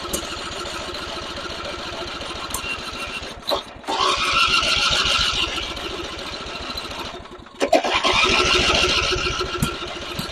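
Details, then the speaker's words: Simplicity rear-engine mower abandoned 32 years, restarted with choke after a failed attempt: catches after a few rough pulses, then settles into a steady, even firing rhythm and keeps running normally. "let's try this again but with a little chokage it's gonna run"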